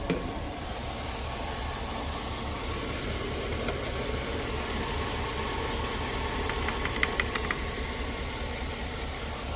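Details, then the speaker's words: V8 travel rig at idle right after adding power steering fluid: quiet, steady, smooth hum with the earlier pump whine instantly gone; normal idle. "let's get this going listen to that that wine instantly"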